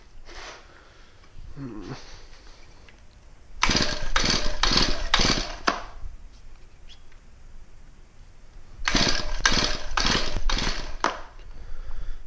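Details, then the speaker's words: Shindaiwa/Echo-type two-stroke trimmer with suspected carb issues, owner suspects old blue oil and switched to Shindaiwa Red Armor: throttle blips rise in short bursts then sag to a weak idle, never holding speed; sluggish, poor running, cause unconfirmed. "My Weedeaters seem pretty sluggish and stuff like that."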